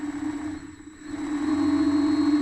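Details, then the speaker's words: Vevor MX400 mini lathe headstock running at steady speed: low hum with rough, gritty grinding beneath it; owner suspects bad idler pulley bearings (608Z), unconfirmed. "can hear it kind of grinding I think these bearings are bad so that's what we're going to dive into"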